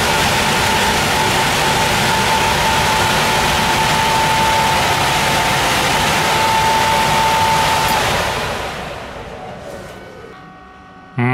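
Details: Air handling unit with a high-pitched whistle at the supply vents over steady airflow rush, fading as the fan spins down; suspected causes include a clogged intake grille, very dirty filter, slack belt and misaligned motor and fan pulleys.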